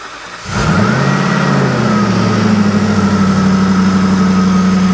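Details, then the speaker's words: Modified salvage Jaguar XFR 5.0 supercharged V8, freshly ported blower, first startup after about a year apart, factory tune: engine catches and settles into a smooth, even idle with faint blower whine; healthy. "so far so good hasn't driven yet hasn't moved under its own power yet there is still a lot to go but it's running and it sounds fairly healthy sounds fairly happy"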